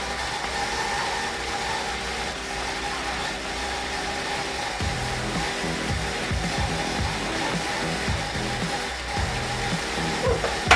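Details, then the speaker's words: Datsun petrol engine idling after a cracked intake air hose before the throttle body was repaired: mostly steady with a faint stumble, nearly dying but staying running, much better than before when it would not stay started. "so looks like the vehicle is now running much much much better now that I have all of those things taken care of it sound like it was about to die again but at least it stay started"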